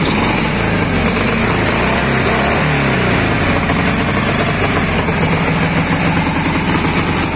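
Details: Dnepr 10-36 engine after replacing worn blue connecting-rod bearings and the connecting rod, which had knocked and shed metal shavings: single-cylinder chug at steady idle, even beat, no knock.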